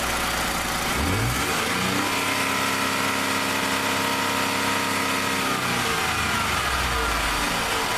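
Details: 2015 Ford F-150 2.7L EcoBoost after a quick fix for a vibrating pin: engine revs briefly and settles, smooth, with soft turbo hiss and normal internal noise remaining but no rattle.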